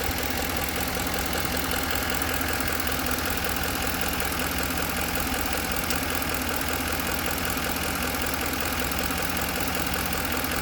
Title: knocking sound from 2010 f150